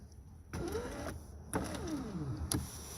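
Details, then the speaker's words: 2009 Hyundai Elantra left front power window that went down and would not come back up: the motor whirs and drops in pitch under load, with crunching snaps as the glass travels; the motor works and the regulator is failing. "Now if you listen carefully, you're going to see the motor works. Hear that? You hear it crunching."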